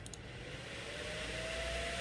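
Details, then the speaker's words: Asus GTX 980 Ti Strix GPU after fan replacement and thermal paste change, fans ramped to 100 percent: smooth even airy rush with faint rising tone, no rattle or ticking; normal fan operation, quieter than before. "these working fans are spinning there see if i can get them up to 100 percent here"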